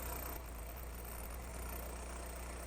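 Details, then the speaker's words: Toyota AE86 Corolla 4AGE, warm idle at about 1,000 rpm while the throttle end-stop adjustment screw is being set. Steady, even low hum with no dips or hunting, a touch fast. Owner wants to back the screw off a tiny bit more. "So, currently we're sitting at about 1,000 RPMs. So, I want to back it up a tiny bit more."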